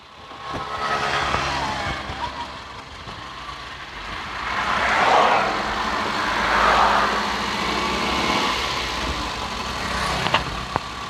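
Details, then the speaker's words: Suzuki Carry running on LPG with A/C on and cold: even, settled idle with gentle swells and no stumbling or misfire, very steady; complaint is shaking, near-stalling and poor acceleration, radiator suspected clogged. "นี่ตอนนี้เครื่องเดินนิ่งมากนะครับตอนนี้เราเปิดแอร์ครับ"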